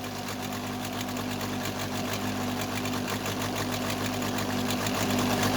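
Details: Case 580C backhoe diesel after valve adjustment, injector lines cracked one by one; uneven lumpy clatter about 3.5 beats a second, second cylinder weak; owner suspects second injector, valve or piston rings, not the line: misfire on one cylinder.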